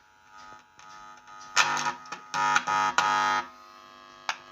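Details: Golone RX-1829BT amplifier, new with no sound, under repair: with one channel of the stereo amp connected, a steady buzzy hum comes through the speaker in short bursts as the volume is turned up, showing the output is alive.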